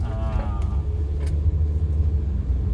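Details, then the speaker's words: Used car test drive over a bumpy, rippled road and a speed bump: steady low road rumble with no clunks, knocks, or metal-on-metal rattles; the suspension sounds healthy. "tadi kita udah ngelewatin jalan yang lumayan keriting dan halus, nggak ada suara yang aneh. Nggak ada suara misterinya ya Om Jojo ya."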